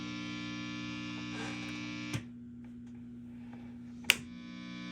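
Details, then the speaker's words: Marshall JCM2K DSL50 50-watt head, after tube replacement for volume loss after warm-up (suspected V1/V2 heater loss): steady low buzzing hum with faint clicks on an open input jack at heavy overdrive. This is normal noise and the amp is healthy. "All right, that's a lot of overdrive on an open jack, so don't mind that noise, but good to go."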